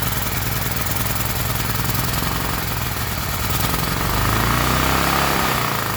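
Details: Gasoline generator's small single-cylinder engine chugs at a steady fast beat with a slight swell near the end; running normally.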